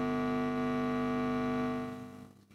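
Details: Epiphone Valve Special amp with master volume and gain at maximum: a steady low hum with a buzzy edge, no crackle or pops, fading out at the end; normal residual hum.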